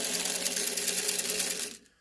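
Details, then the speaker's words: Old 3-volt battery toy steam engine train, its little motor oiled with penetrating oil after it was squeaky: a high, even whirr running smoothly without squeaks, then it stops. "It runs like probably it did the day it was made. I oiled everything."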